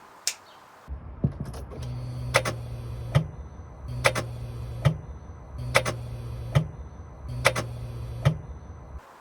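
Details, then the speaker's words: Vauxhall Astra VXR (Astra H Mk5) with a sticky starter motor; repeated sharp clicks with whirring spin about every 1.7 seconds, engine never turns over: starter engaging but not cranking, new starter ordered. "that is the noise of a starter engaging but not turning the engine over"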